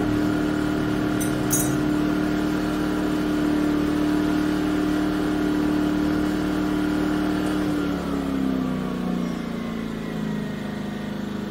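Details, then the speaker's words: Yamaha EF2000iS inverter generator converted to propane via tri-fuel kit, leaned out: steady, even hum with a clean fixed tone settling smoothly lower as load drops; normal running. "nice on low it doesn't seem to be making much of a difference but it can respond up to the load fairly quickly even on EC mode it's about 1,400 WTS"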